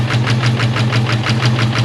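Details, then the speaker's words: Ford SVT Cobra V8 first run after long storage (previous owner reported cooling issue): lumpy idle with sharp ticking about six per second, diesel-like clatter; suspected dead miss or loud valvetrain, possibly aggressive cam, unconfirmed. "It's either got a dead miss or I mean, and the valve train is loud as [ __ ] Sounds like a goddamn diesel."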